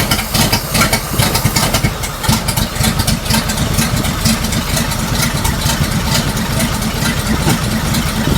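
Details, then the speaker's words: 1941 Chrysler flathead six coupe, engine being test-run on 87 octane with no exhaust system (just a pipe): lumpy, uneven idle with stumbling and dropouts, only some cylinders firing; old ignition wires noted; misfire. "I heard a couple uh cylinders go. Let's give her another shot."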